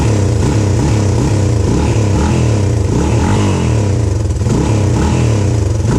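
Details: 1997 Honda XR200R pulled from barn after sitting a long time: loud single-cylinder bark, uneven surging rev with some clatter; runs but mixture sounds off.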